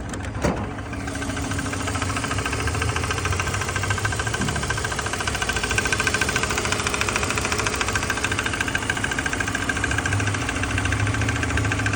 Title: 2005 BMW 330CI Ticking/Squealing Noise